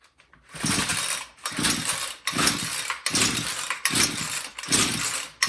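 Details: Homelite string trimmer (weed eater) that would not start, with six or seven rough half-second pull-start cranks and no firing or catch. Ethanol gas had degraded the rubber, so the fuel line was replaced; primer bulb pulls gas, set on run/full choke. Cause unconfirmed.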